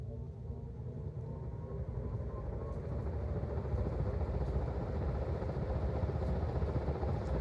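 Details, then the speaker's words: Hunter R-52 ceiling fan rebuilt from 1942 and 1949 units after the original motor parts were rusted together: it spins up from 0 to high with a steady low hum and faint singing harmonics, smooth and healthy. "No talking because the harmonics are pretty cool."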